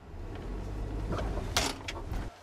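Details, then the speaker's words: Car clunks over bumps when taking off and pulling in; low rolling rumble with sharp hollow clunks over a driveway bump, seeming to come from one front side; suspension clunk from a worn lower control arm. "does your car clunk as you take off and hit bumps in the road, like this when you take off, or like this when you pull in"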